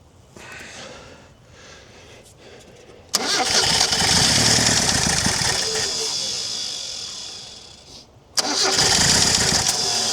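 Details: Chrysler Galant 1600 wagon engine, first start after sitting 30 years, cold: runs rough and loud with a light metallic rattle in the clatter and some blowby. Unclear whether a loose tappet or a knock.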